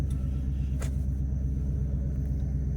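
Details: Hemi V8 idling after two blown no-start fuses were replaced, one for the ABS module (fuse 36), the other tied to stability/traction control: deep, even low rumble with a steady idle beat, no knocks or misses; smooth, healthy idle.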